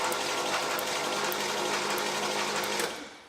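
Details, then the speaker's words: 1967 Chevrolet Camaro SS with headers, revived after 15 years asleep: cranking with 30 PSI oil pressure to bring oil to the top end; even, quick whir about three pulses a second, no knocks or grinding; normal. "We're getting 30 PSI. I think that's good. I'm going to give her one more crank just to make sure we got oil"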